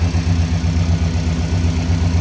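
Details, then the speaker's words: Engine after a thumping noise was traced to a small object inside the clutch/belt ring, which then fell out, and the belt was refitted: low, steady idle with an even throb, no thumping or knocking; normal idle. "That sounds better. Nice low idle. No more thumping."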